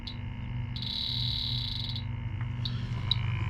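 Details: Electronic refrigerant leak detector at the bend of an aluminum coil holding no pressure: short high chirps in a quick burst over a steady low hum, then scattered single beeps as it picks up the leak.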